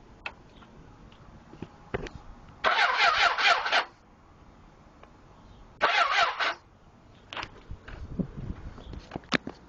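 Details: Suzuki GSX: two short bursts of starter whirring, about a second each, then silence; the engine spins over but never catches, cranks but won't start.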